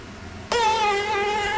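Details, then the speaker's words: Kandi Cowboy/Innovator dump bed actuator on the bench: harsh wavering high whine with rough grinding, rust inside; top bearing seized solid, a common failure. "Oh, and there's the problem. The first bearing, the top bearing, seized solid. That's pretty common."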